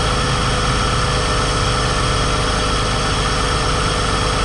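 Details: Car bought to flip, in the shop at idle: steady high whine from the accessory belt area over a smooth idle, much worse with RPM; a new alternator was already fitted without curing it. Source unknown, suspected worn idler pulley bearing.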